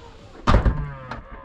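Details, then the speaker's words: Tesla tailgate closing with one heavy thud and a second knock, louder than expected; owner suspects the tailgate motor, cause unconfirmed. "i don't know if this if if this noise is normal like how loud it is when it closes"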